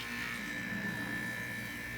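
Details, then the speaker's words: 1970s Amana 18,000 BTU room air conditioner on low cool after service including new connections: steady even hum, constant fan whoosh, no knocks or rattles; already getting cold, running normally. "That does sound good. I think it's already getting cold."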